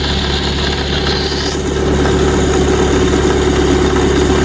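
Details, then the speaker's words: Lada Priora at steady idle: a fast rattling tick over the engine hum with a faint whirring tone; roller, alternator or timing rollers suspected; after removing the belt, timing and alternator seemed fine and the power steering pump pulley had heavy play. "это может быть или ролик или генератор или ролики ГМ генератор но мы сейчас полезем ролики ГРМ посмотрим потому что не хочется чтобы клапана загнуло ещ раз"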